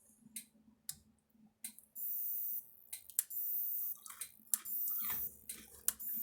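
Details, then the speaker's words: Maxim M5-50 electric fence energizer after repair, just powered up: sharp single clicks at a steady pace about once a second with light flashing, each pulse firing cleanly; tester then reads about 7,000 volts, roughly 5–6 joule unit; working normally. "All right, you hear it clicking and stuff. The light's flashing, you can hear it clicking."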